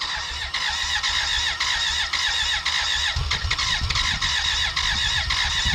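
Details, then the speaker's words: 1991 BMW K100 LT, 987 cc fuel-injected four-cylinder that sat outside 10 years: a steady starter whir with a high squeal and uneven chuffs that never catch. A valve was sticking, dirt was inside, and an intake vacuum cap blew off. Crank, no start. "hey this is ben from the present we cranked on and off over the course of an hour it almost wanted to start eventually a vacuum cap blew off the cylinder one intake and a bunch of dirt blew out my face"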